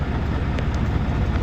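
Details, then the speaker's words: Vacuum truck (automatic) PTO-driven vacuum pump running during offload: deep, steady low rumble, even drone, no knocks or surges; running smoothly. "Now I can hear it going, I know I'm good to go."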